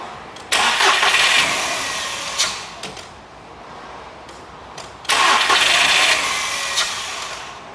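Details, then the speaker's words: SEAT Ibiza after engine refit, started from cold: fires almost instantly each time, flares briefly with throttle, then drops to a smooth idle; normal easy cold start. "So I'm just going to start this now from cold and let's see how we get on."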